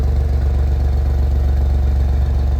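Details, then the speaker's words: Renault after a piston replacement, at about 116,662 on the odometer, cold evening start in neutral with the heater on: a deep, steady idle rumble with an even beat and no shake, knock or misfire; the engine idles smoothly. "So here's my engine. It's not shaking anymore."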